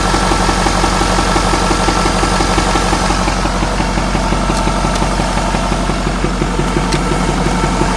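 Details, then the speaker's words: Ford F-450 6.7 Powerstroke diesel, reported engine knock, significant front oil leak, batteries recharged: idle with steady lumpy beat near three per second, no knocking heard; misfire, owner suspects cylinder issue, possibly failed number five injector. "i don't hear any knocking it's just about a miss more than anything"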